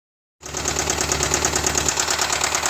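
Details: 2010 BMW X5 4.8i E70, N62B48 V8, 64k miles, at idle: a fast, sharp, regular ticking knock from inside the engine, clear and constant; cause unknown.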